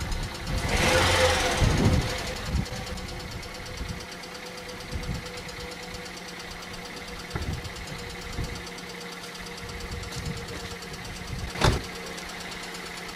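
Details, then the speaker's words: Hyundai engine cold start: a sharp squeal rises as it fires, then settles into a faint whine at idle, a loose alternator belt, fixed by tightening the adjusting bolt. "при запуске двигателя многие сталкивались неприятным пескам давайте посмотрим как это происходит"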